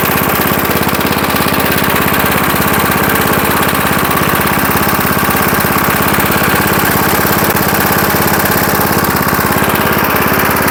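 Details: 1975 Murphy's 20-inch push mower, first run after long storage in a shed: steady, even single-cylinder chatter at constant speed with no misses or surging; the motor sounds really good.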